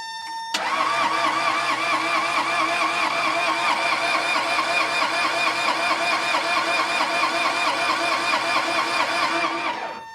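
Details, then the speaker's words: Case 1835C skid loader small diesel with broken piston rings and two of three cylinders low, glow plugs cycled: the starter churns at about two beats a second for ten seconds without catching. Fuel is confirmed, and the owner suspects low compression. "Okay, I got plenty of fuel coming in, so that's great. That means the only thing that's going to be hurting me here is compression."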